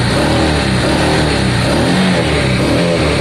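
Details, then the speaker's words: Honda Deauville motorcycle after carb clean, choke on, first start with fuel pump reconnected and little fuel in carbs; steady, even engine note with no misses or knocks, runs smoothly and sounds healthy. "Choke is on. Ignition is on. That sounds sweet. Sounds really sweet."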